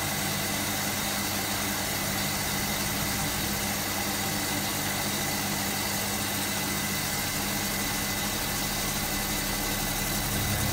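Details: Hotpoint Supermatic De Luxe 9414 twin tub spin dryer on its final spin, new belt fitted so it is much faster and smoother: smooth steady whirring hum at constant tone, no scraping or thumping; normal spin.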